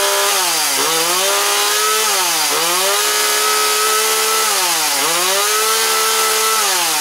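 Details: Husqvarna 137/141 two-stroke chainsaw after carburetor installation, fresh gas: revs up and drops back roughly every two seconds, holding a clean steady pitch at each speed; running normally.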